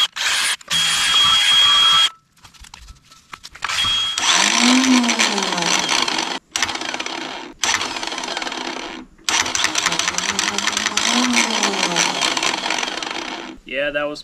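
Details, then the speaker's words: John Deere 755 turbo diesel crawler track loader, sat about 20 years, cranking: harsh metallic grinding bursts with a wailing spin-up tone and no engine catch; broken starter drive, gear found to have flown off. "probably the starter that was making that noise well I'm going to try tapping on the starter but I doubt that's going to do anything let me just pull that starter back out well what I'm seeing is not good it looks like the whole dang gear D flew off this thing"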